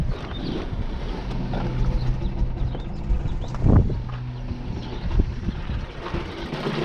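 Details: 2014 Ford Focus petrol engine with 200,000+ miles idles low and unevenly with occasional thumps. It showed code P2111, the throttle pedal was unresponsive, and the car went into limp mode; spark plugs and throttle body were being checked.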